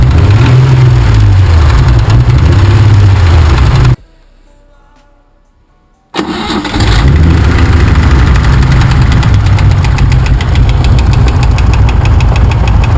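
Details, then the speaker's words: BMW engine on LPG, warm after restart, valve clearances adjusted and rockers changed without effect: steady idle knock about four times a second over the drone; knocking cylinder not yet identified. "надо как-то эту лайбу же определить где-то какой-то цилиндр стучит в прошлом видео мы завели стук не поменялся"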